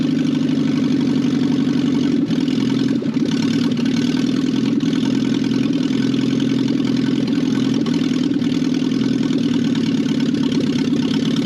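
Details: 1968 BMW 1800 barn-find four-cylinder running a steady, even idle with a smooth low hum and no knocks or misses; very bad old gas was afterward found in the tank.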